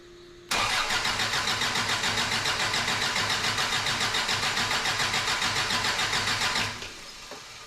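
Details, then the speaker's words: Toyota truck, cranking with helper holding key to power the ECU, clutch switch bypassed: starter spins steadily about three to four compression beats a second for six seconds but never catches; ignition circuit problem suspected, spark being checked. "Okay, let me try one more thing here. We'll check for spark here. Let's see here. All right. All right. Go for it. Okay. All right. Something's going on with our ignition circuit."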